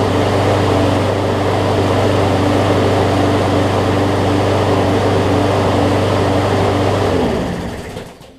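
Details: John Deere JA62 push mower, about 15 years old, Briggs OHV Quantum-style engine, after carb clean, running unloaded: strong even run with slight rise and fall in speed, then shut down and spins to a stop; mild no-load surge.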